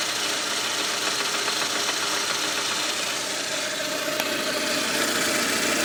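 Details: VAZ-2110 1.6 8-valve at 64,629 km, idling; light, fairly even ticking knock about three to four per second over hissy background; camshaft axial end play, noise gone after replacement.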